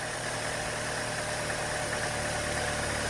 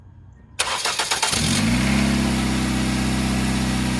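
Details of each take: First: 2.2 engine, first start after replacing a dry-rotted hose: quiet steady idle hum, no misses, knocks or surging; runs fine, normal idle. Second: 1997 Ford Escort wagon, about 190,000 miles, Duratec, cold start: engine cranks, catches and idles with a raspy exhaust drone from a holed flex pipe; a knock heard is common on this engine until warm.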